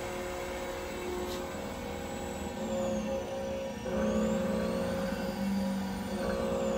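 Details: 1988 English metric Monarch 10EE lathe, I/M regenerative drive converted from 460 to 230V, first test run: quiet even motor whir, tones shifting smoothly with speed; spindle drive running cleanly in reverse.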